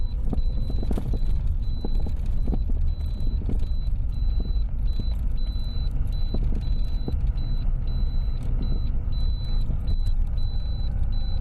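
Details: Lada Priora knocks over small bumps; the owner suspects the steering rack, which was never adjusted and would not tighten, though the stabilizer was also suspected. Dull irregular knocks come through on small bumps over low road rumble.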